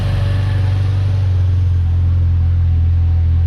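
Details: Yugo Sana GL just started after 20 years, new fuel line, cold on manual choke, running slightly rich: strong steady low idle with slight speed drop partway, otherwise even; normal cold idle.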